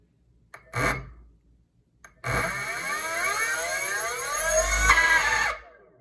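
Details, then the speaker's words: BLDC brushless motor 6374 170kv on an e-bike controller while matching hall and phase wires: harsh, loud, coarse whine climbing as it spins up; rotation unchanged, wrong wire combination. "so he moved to the okay it is too loud if you can hear it okay so the rotation is still the same it's loud that's not what you want"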